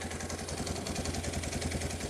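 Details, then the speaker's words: Old Kawasaki KLT185 three-wheeler pulled from a snowbank after sitting, first run: even steady idle with regular low beat, no misses or knocks; normal idle. "it is just turnning like a kitten wow man that is crazy let her sit here and idle for a little bit that's just fantastic"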